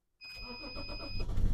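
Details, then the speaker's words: BMW X5 3.0d diesel after a DPF/EGR delete and ECU reprogram; the engine still vibrates and blows light bluish smoke, and one injector is suspected faulty: short crank, late catch, rough uneven run, with a diesel-fuel exhaust smell. Hard starting. "Tāda grūti palaižas, uzreiz arī tie saļārkas smaka iet no izpulūdes sistēmas, uzgazējot arī."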